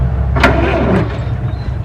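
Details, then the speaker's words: Possibly 1920s White, first start attempt after confirming oil pressure: the starter now cranks the old engine strongly and evenly after an earlier failed try. Cranking is normal; the engine has not fired yet. "and it cranks i better put it neutral or i'll run it off the tree"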